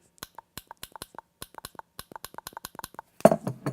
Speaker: soon as we working just fine I put the microphone down there next to it so you guys could hear the familiar click